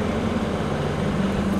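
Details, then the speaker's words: Ford Mondeo MK3, clutch pedal going to floor when reversing loaded with trailer; freshly started engine at idle, steady low whirring growl, was louder before getting warm in traffic; owner suspects clutch release bearing, not confirmed; clutch and flywheel being replaced. "last few weeks the Baron thingamajiggy decided to start making a really loud noise I'll show you what it sounds like it did actually quiet down it was really loud but I was stuck in traffic for an hour"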